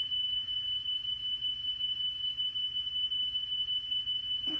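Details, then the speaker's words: Car radio cassette deck drive motor after repair and clockwise speed-trim adjustment, tested upside down with test tape reading about 2.99–3.02: steady clean high test tone, even pitch, no wow or flutter; correct tape speed. "That is so close, I'm gonna leave that alone. That's totally fine."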